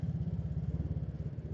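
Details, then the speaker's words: Honda Karisma after a full engine restoration, about a month of use, at idle: a quick, even clatter about ten beats a second from a slack cam chain. The owner fears the cam chain could come off its track. "mesinnya berisik, cuy. Berisiknya tuh berisik dari renteteng."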